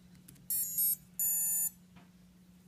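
Short high beeps sounded through the motor right after power-up, a quick tone sequence; that's the normal ESC arming startup.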